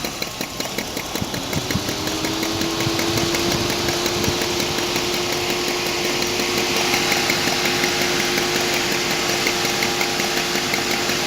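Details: BMW E34 520i idling: steady ticking knock keeping time with the idle over a light, even engine hum; engine knock, owner unsure of its source.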